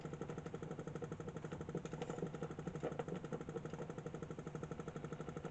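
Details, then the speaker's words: 1947 Invicta 200 valve superhet radio: steady putt-putt pulsing about twice a second persists with the volume turned down; motorboating, source not yet traced despite a replaced grid capacitor. "now at this point if you take the volume down like that it's still there it's still doing it so whatever it is is still doing it"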